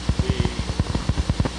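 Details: Crown CSC-850F stereo at full volume, microphones in front of the speaker: low rapid thumping about nine beats a second, steady throughout; one channel outputs unwanted noise, cause suspected, unconfirmed.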